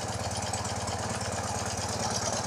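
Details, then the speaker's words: BMW Airhead boxer twin after a top-end refresh and reseal, idling cold: a fast, even ticking on every firing pulse from one side's top end, the valve train; being traced with a screwdriver used as a stethoscope, cause not yet found. "oh no I can hear the tick tick"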